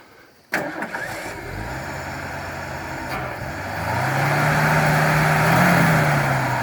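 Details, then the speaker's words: 1968 Ford F100 sitting 20 years in the woods, revived: cranks briefly, fires and settles into a steady, even idle rising slightly without misses or knocks before driving out; runs like a champ, normal start and idle. "runs like a champ momentous occasion"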